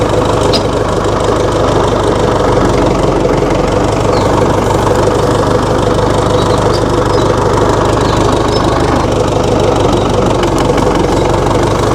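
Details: 1960 Massey Ferguson FE35 tractor, 4-cylinder diesel, after sitting unused in a paddock for a long time: steady, slightly uneven clatter at low idle with no knocking or misses standing out; engine running fine.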